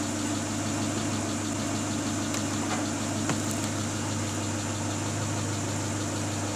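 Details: Great Wall Hover H3 after head gasket replacement for a blown gasket (antifreeze in cylinder 4), warm at 86°C, no errors: steady, even idle with no misses, knocks or hunting; healthy and settled.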